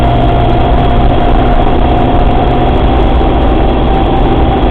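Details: Suzuki Samurai at idle, heavy low rumble with a steady mid-pitched whine over it, unchanged throughout; strange noise from the transfer case.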